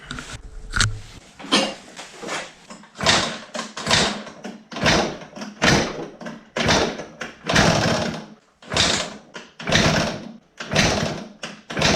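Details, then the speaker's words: CPI Aragon scooter, first start attempt after repairs and fresh fuel: repeated cranking bursts about one a second with harsh scraping rattle, no firing; the flywheel hits the trigger coil because it was mounted wrong. "all right, going nowhere this hits the flywheel hits the trigger coil I mounted it wrong"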